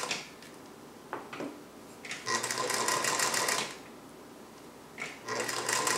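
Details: Singer 221 Featherweight sewing machine on a sturdy wood table, stitching in two quick even bursts with a light steady whir; loud bobbin-area clunks were caused by a cheap folding table letting it vibrate excessively, now gone: normal running.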